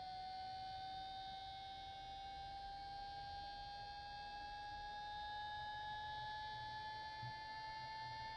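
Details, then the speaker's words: Traxxas EZ-Peak Plus charger with a replacement 30x30x10 mm 12 V five-blade fan, fitted because the original's dry bushing was noisy: clean, steady whir rising slowly in pitch as it spools up, no rattle; normal cooling fan. "the new fan is in I've used it a couple times so far and I'll get it going for you just so you can hear what it sounds like of course it'll spool up after a while"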